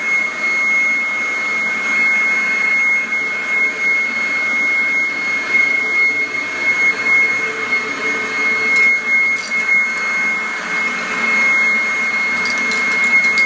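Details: 1997 Kirby G5 upright vacuum with metal fan, running in blower mode: steady high-pitched whine with even airy rush, no wavering or rattle; fan sounds like a vintage 500-series Kirby; normal running.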